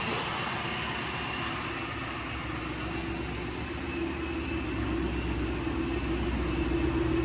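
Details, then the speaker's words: Freshly rebuilt Fast Forward Race Engines motor with blower and built transmission in the Marketplace Mustang, first run in months before the dyno: steady deep V8 idle with even lope and loud constant blower whir; runs smooth, normal idle. "Haven't heard this thing run in months. Heck yeah. Sounds good."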